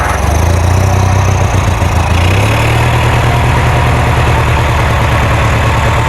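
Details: Kohler Magnum 20 engine on a Wizard garden tractor after repairs, just started after priming and choke: steady, even low putter at idle settling into a slightly higher smooth beat; engine runs cleanly.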